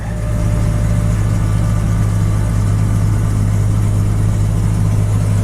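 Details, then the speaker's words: Jeep XJ Cherokee that sat for over two months, cold January start after charging the battery; starts right up into a steady, even idle with a deep low hum and no knocks or misses. "let's give it one more try see it that's enough cool yeah I started right up"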